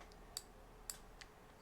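A few light, crisp clicks, roughly half a second apart, as the crank is worked; the cleaned reel's click mechanism sounds right.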